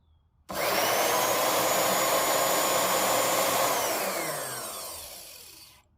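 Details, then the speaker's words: Liberty Model 331 pump after rebuild (shaft, seal and centrifugal impeller refitted), run unprimed: a smooth electric spin-up to a steady hum and an even coast-down, with no rumble or grinding; much quieter than before the repair. "Much quieter. I'll prime it and then we'll see if it works."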